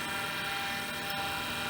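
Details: Hard drive from a battery-damaged IBM PC AT 5170, first power-up: high steady whirring with a rough, gritty edge and brief catch near end; rough bearing noise.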